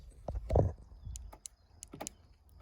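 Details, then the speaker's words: Honda fuel door after actuator replacement for buzzing: brief soft clicks and thumps of the actuator operating, no buzzing noise anymore. "right no more noise no more buzzing noise"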